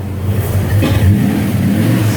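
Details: 1993 Ford Mustang Cobra, in an accident with a replacement airbag ordered; deep, smooth rev that rises and holds evenly with no knocks, rattles or misses. Normal revving, sounds good.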